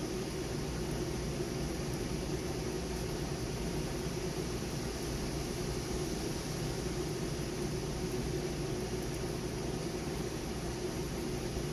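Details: Trane AC condenser newly replaced fan motor, after burnt-out original: even, steady rush of airflow with a faint low hum and no rubbing or ticking; running normally.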